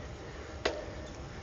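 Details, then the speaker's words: Schwinn Horicon gravel bike rear hub: after a quiet pause a single sharp click/knock as pedal pressure comes on; hub engagement noticeably delayed, far from instant, though not as bad as a coaster. "Hear that? That's the engagement right there. It's a nice little bit of a delay before it engages."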